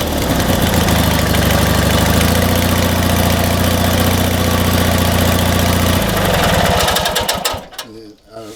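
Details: Old Montgomery Ward Gilson lawn tractor with opposed-twin Briggs & Stratton, positive battery cable disconnected, jump-started in boost mode from a 2000A jump starter: turns over briefly, catches and settles into a steady, even beat before shutoff; clean normal start.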